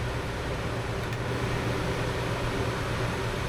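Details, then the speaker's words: Puma camper's 13,500 BTU Coleman Mach rooftop AC, apparently on high cooling, heard from inside near the bed: steady, even blower roar with a low hum, no knocks or rubbing; cools normally, just loud. "AC on high, I believe. Yes. So it's a little bit noisy in here."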